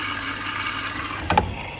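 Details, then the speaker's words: Electrolux EVKF 12844S touch-key washing machine in diagnostic test mode, prewash compartment inlet valve filling. Steady, even hiss of incoming water with one brief clunk partway through; a normal fill. "Đầu tiên lấy nước bên ngăn giặt sơ."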